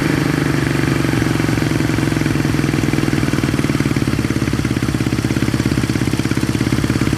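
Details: 1970 Honda SL350 twin first start after revival, with a little gas put down the plug holes; a carb leaks fuel; settles into an even idle with a steady, slightly lumpy beat and no knocks or rattles; normal idle.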